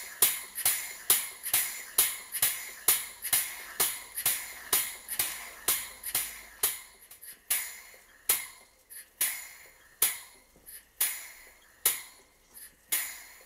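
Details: Vertical Southworth 12-inch steam boiler feed pump on workshop steam, burner off: sharp regular clicks about once a second, slowing and spacing out as steam pressure drops until the pump stops below 10 psi; running normally.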